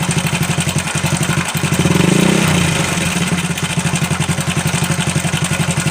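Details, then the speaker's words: Honda Supra Fit New engine with a strange internal noise: steady idle with a light, fast metallic ticking about four per second, like a slack cam chain slapping; cam chain suspected loose or out of adjustment. "Analisa pertama di situ udah ada terdengar mak celek gitu ya. Analisa pertama adalah rantai ketengnya kendor atau setelan ketengnya."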